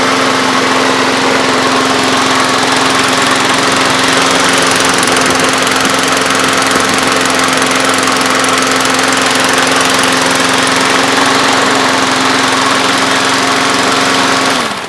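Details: Briggs & Stratton single-cylinder lawnmower engine after a full tune-up, including carburetor cleaning, needle and seat, gasket, spark plug, blade and air filter. It would not start before; now it runs with a steady, even chatter for about fourteen seconds, then shuts off.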